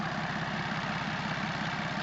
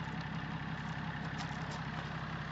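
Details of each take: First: BMW X5 diesel, running with nothing refitted on the engine: rough idle with a fast, regular clatter on each firing pulse from loose, unmounted parts rattling. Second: BMW X5 diesel starting and settling into a steady idle with its usual clatter, no misses or stumbles; starts well and runs normally.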